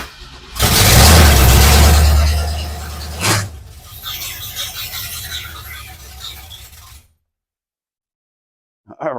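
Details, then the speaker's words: Rebuilt Ford 302 roller V8 in a 66 Mustang, first start on starting fluid with open exhaust headers: catches at once into a loud deep roar, lumpy idle for seconds, then shut off; firing order correct, normal start-up. "right and it fired up immediately yes so I got the firing order correct"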